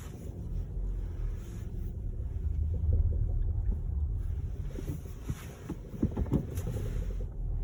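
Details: SEAT Ateca: a low steady rumble with a scatter of uneven knocks that bunch up toward the end; knocking noise of unknown source.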